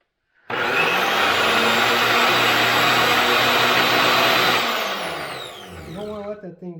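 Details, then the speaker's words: Old Craftsman table saw motor, motor cooling cover removed: spins straight up to a steady even high whir with no rubbing or knocking, coasts down smoothly; runs fine, no smoke. "that's a fine red machine hey smoke i don't see smoke fine running machine"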